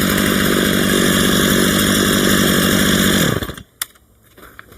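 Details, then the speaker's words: Stihl MS 230 chainsaw during a tune-up, after the low idle speed screw was turned up: a crisp, steady two-stroke burble about four beats a second, then shut off; clean, normal idle. "that sounds like a better idle."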